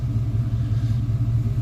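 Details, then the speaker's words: TBI-converted vehicle at the smog shop, warmed hot on the freeway, regular octane fuel: deep idle rumble surging and dipping unevenly, slight miss; owner suspects cold spark plugs or a bad sensor, idle jumping around. "it's running a little rough it's not firing quite right I don't think it's gonna give me any better numbers"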